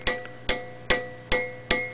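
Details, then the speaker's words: 12AX7 preamp tube in a noise test fixture, 150 V plate supply, 12.6 V DC heater, tapped repeatedly: each tap leaves a lingering ringing tone and sawtooth ripple, a microphonic reject tube. "this channel has got the add little sawtooth ripple after I tap it which indicates micro phonics the tube is ringing when we tap it"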